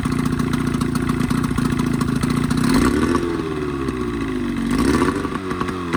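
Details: Evinrude 20hp modified to 25hp two-stroke outboard after full service (head cleaned, new thermostat, gaskets, primer seals, reeds, propeller), lean sneeze fixed: crisp buzz climbing and dropping cleanly with throttle blips, no misses; running normally.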